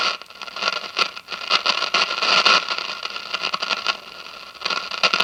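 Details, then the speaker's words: 1957 General Electric model 875 All-American Five tube radio after replacing the dual filter capacitor, drawing 23 watts; hiss and crackly static remain but no low mains drone; hum gone. "okay so the hum is gone so that's good news the hum is gone"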